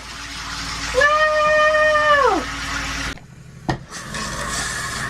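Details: Restored Toyota RV water system test, pump on, checking lines and shower head: water rushes with a steady whistle holding about a second, then drops as flow changes; shower and pump working normally.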